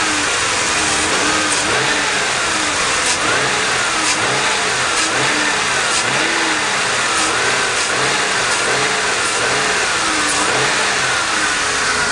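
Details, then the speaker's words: 2001 Mercury Grand Marquis 4.6L V8 just after a throttle body spacer install, revving: a loud airy vacuum-like hiss swells with each rev, never there before; cause not confirmed. "as far that that sound SS like a vacuum you hear that right there right there that sound was never there before"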